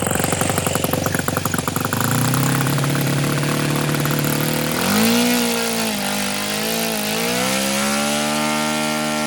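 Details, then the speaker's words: OS FS-91 Surpass four-stroke nitro RC airplane engine: buzzy engine sags unevenly at idle after throttling back, with lots of smoke, RPM gradually dropping until it dies; low-speed needle far too rich, leaned a sixteenth turn. "way too rich on the low speed so i'm just going to go the 16th of a turn there we go"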